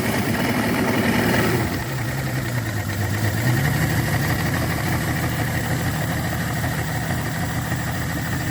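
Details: Yamaha 225 hp outboard after JB Weld epoxy repair of the block between cylinders 5 and 6, with compression of 120–128 psi, running easy and smoking: steady, even idle burble with no stumbles or knocking. Normal idle.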